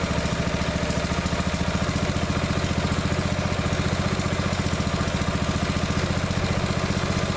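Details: Neglected riding mower revived, after fitting the correct fuel line and clamps and putting the shutoff and filter back on, fresh gas, jump pack on weak battery: steady, even low thumping idle, no stumbles or rattles; runs perfectly now.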